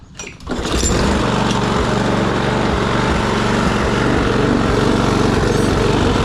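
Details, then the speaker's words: Troy-Bilt push mower, Briggs & Stratton Quantum auto-choke engine, after carburetor cleaning, rpm raised from about 2,800 to 3,100–3,200: starts after a couple of pulls and runs fairly evenly with slight surging; steady running. "You know, it ain't surging near as bad as it was, and I believe that's probably good enough for her to use."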